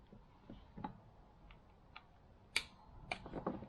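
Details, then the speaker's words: Range Rover Classic P38 electronic air suspension valve block on the bench, solenoid valves energized one by one via wire to find original fault: sharp crisp single clicks and solid clunks, all valves working normally. "Nice solid clunk. And they're all working."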